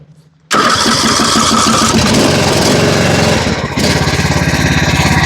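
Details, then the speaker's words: John Deere Z225 zero-turn mower single-cylinder engine, first start after blown head gasket and Nikki carburetor repair and fresh oil: catches after brief crank, settles into even, steady patter with no misses and no smoke; healthy idle. "Listen to that baby purr. Oh yeah. That surprised me. It ain't smoked a lick."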